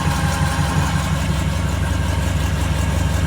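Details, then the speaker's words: 1940 Ford COE custom rollback, initial start-up while topping off coolant, fan not yet on: steady, even low rumble with smooth regular beat and no knocks or misses; cold engine idling cleanly as it warms. "as you can see it's running you can hear it F's not on yet but there's power at our fan"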